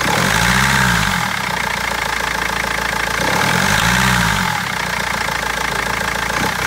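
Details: BMW 320d diesel: clattering knock at idle with uneven lumpy beat and recurring speed waver from misfires; injectors or tappets suspected, mechanic unable to find the cause for over a month.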